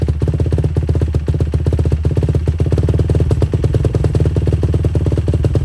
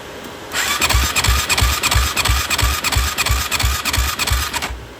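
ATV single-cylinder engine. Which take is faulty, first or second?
second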